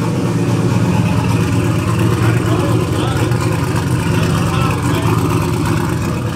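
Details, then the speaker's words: Car running after swap from MS3 to Holley Terminator X Max ECU: low steady rumble at a fast idle, slightly loose beat, no misses; fired up fairly easily, idle rpm not yet correct, needs tuning. "well as you can see the car runs it fired up pretty fairly easy on the holley terminator x"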